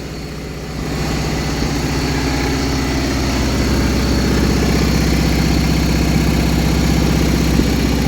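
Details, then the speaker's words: 1980 John Deere 317 tractor, reportedly bad valve guides and heavy oil burning, revived: steady even low idle with smooth regular beat, no knocks or rattles, only a little oil smoke, driveshaft and U-joints running true; normal idle. "thing runs pretty good doesn't it drive shaft and U-joints run pretty straight and true not all Whopper drod like the 420 was"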